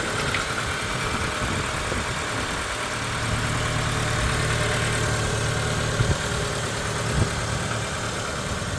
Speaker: this video is going to be me starting up a Mitsubishi 12 valve magma engine in a 1994 Proton Saga it's a 1.3 this engine and it is the GL Edition on this car so let's start it up and you can hear that engine take over